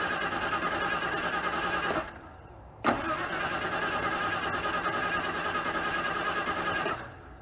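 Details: Car tagged 1991 Ford Crown Vic, with coil and catalytic converter among its tags, broke down: two long cranks with a steady starter churn, but the engine never catches or fires; cranks, no start, cause unknown.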